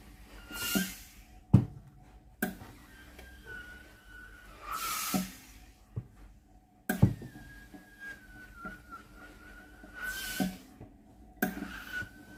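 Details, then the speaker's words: Philips GC9682 steam iron, water-feed button gives no steam (microswitch fault), tested in Auto mode: strong even hiss bursts every few seconds, each with a soft valve click; steam and valve work normally. "hơi nước ra bình thường, van nước hoạt động bình thường."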